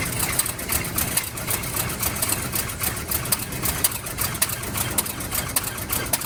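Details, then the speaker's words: 1971 Cadillac Coupe DeVille V8 that sat 15 years in a backyard, now idling on its own without added fuel: rough idle with rapid, uneven clatter of sharp ticks and knocks, horrible noises of unknown source. "so i'm really excited that the car started and idle it is making some horrible noises i don't know where they're coming from"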